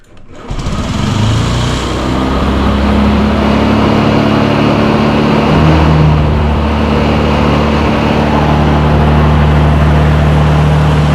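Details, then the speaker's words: 2007 Honda Metropolitan scooter just after starting, electric choke, after priming fuel: small engine buzzes at a steady, slightly fast idle; idle may be a bit high, not sure; idle speed screw noted. "oh she's running I had put my hand on the brake start it up nice and easy that idle might be a little bit on the high side not sure though"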